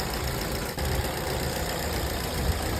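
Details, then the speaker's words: Petrol car that would not start in the daytime, after a leaking purge solenoid valve was tapped to reseat it and reinstalled: a steady, even low rumble at idle with no misses or knocks. The engine runs smoothly after the fix. "在问题已经彻底解决了，发动机运行的特别平稳。"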